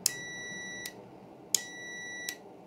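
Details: Multimeter continuity test across an RV switch: two clean, high beeps about 0.8 s long, each starting as the probes touch. The switch has continuity and is good.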